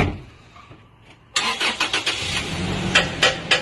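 Engine catches and settles into an irregular knocking beat, roughly three to four per second, over a rough idle; cause not clear.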